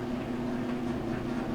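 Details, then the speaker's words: Whirlpool Cabrio electric dryer (WED5500XW0) running: steady drawn-out squeal over drum rumble, louder with wet heavy loads, from worn idler pulley squeaking on its shaft; fix is replacing idler pulley 279640. "And what that is going to be our Idler Pulley that holds tension on our belt. It's just the pulley that rolls around the metal shaft there of the Idler Pulley. It just starts to squeak."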